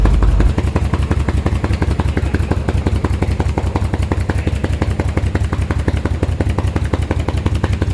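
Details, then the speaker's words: 1938 SS Jaguar 3½-litre drophead engine, first start in over 50 years on a temporary install with freshly tuned carburetors: heavy, lumpy, stumbling chuff; cylinders five and six have no spark, so the spark plugs are to be swapped. "so we established surrender number four no five and six has got no spot so we're gonna swap out"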